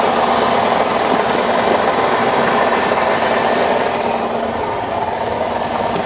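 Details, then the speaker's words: Lincoln MKX with CVT, salvage auction car, idling in park, heard by the transmission side: loud, harsh steady rattling clatter; goes away once put in gear, only occurs in park; cause unconfirmed. "Coming from this side over here by the trans. Something's going on down here for sure. That sounds absolutely horrible."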